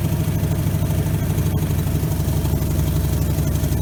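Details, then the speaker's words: 1957 GMC 370 fire truck, original Pontiac 347 engine, 6,625 miles, sat 20 years and was seized; now running on a gas bottle feeding the fuel pump, warming up to free stuck rings: deep, lumpy, uneven idle; carburetor needs rebuild, vaporizing leftover water. "It's vaporizing whatever water is left in that engine."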